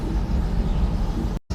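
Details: Tumble dryer after replacing a heater element for a no-heat fault with flashing lights and beeping: deep, even drum rumble, steady with no beeps, scraping or knocks, now heating after about three and a half minutes.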